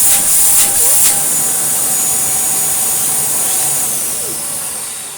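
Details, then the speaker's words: Samsung vacuum with hose fitted: loud steady rushing hiss with thin whistle over the motor; filter pops off its surround, air leaks and dirt passes straight through, sandblasting the inside. "And you can hear the air leak. The reason that it has such fantastically good suction is because whenever you put it on max, what happens is the filter pops off of the surround and lets all the dirt straight through, which is why the whole thing has been sandblasting itself off."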